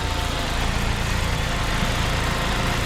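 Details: Saab 9-5 petrol engine idling steady and even with no hiss, ticks or misses, after the coolant leak was fixed and the vacuum lines were renewed, before warm-up and a test drive.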